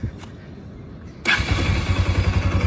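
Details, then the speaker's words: Bajaj Pulsar AS200 after seized-engine repair, water pump seal (oil-coolant mixing) and clutch plates replaced, water in radiator instead of coolant: engine fires and settles into even thumping idle about four pulses a second, no knock or rattle. "ठीक है तो अभ एक बार आप bike को देख लो एक बार बिल्कुल प्रॉपर है और आपको एक बार साउंड भी चेक करवाता हूं इंजन का ठीक है"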